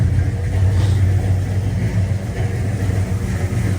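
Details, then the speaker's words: 1968 Dodge Dart, first start after installing a replacement 727 automatic transmission with about six quarts of fluid, in neutral warming up: deep, steady low rumble, even firing, no knocks or misses; normal idle, owner calls it good sounding. "got it in neutral going I'll let it warm up a little listen to that that's a good sounding car right there"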